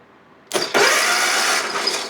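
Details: Hustler Raptor zero-turn mower with Kohler engine, new starter and faulty new solenoid: short burst of cranking that spins the engine but never fires; coils appear grounded as if the key switch is off, cause not confirmed.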